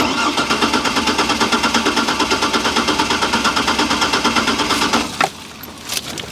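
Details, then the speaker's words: Trailblazer sitting five years, cranking: fast, even cranking about six beats a second for five seconds, never firing; cranks but won't start. Fuel pump heard priming yet fuel not reaching rail suspected; fires briefly with fuel in intake, so ignition works. "well we know it ain't starting right it's cranking when i put fuel into the intake it fires it actually runs for a second if you give it enough fuel"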